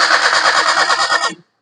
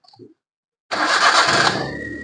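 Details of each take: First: Maruti Suzuki Alto that died while driving: starter cranks the engine evenly for about a second and a half but it never fires; battery and starter motor fine, cranks but no start, fuel supply to be checked next. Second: Maruti Suzuki Alto that cranked but wouldn't start, after loose wire fixed: fires instantly on first turn, settles into smooth even idle with no misfire. Normal start.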